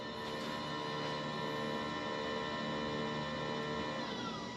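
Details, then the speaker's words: 2023+ Nissan Z (RZ34) during coolant refill, electric coolant pump run via scan tool drive-pump function for about 30 seconds: quiet steady electric hum with faint constant whine, no grinding; pump pulls coolant from reservoir, running normally. "I don't know if you guys can hear it, but it started running. And I'm looking at my reservoir tank and it has dropped down. So it's, you know, pulled some of the coolant from the reservoir into the system."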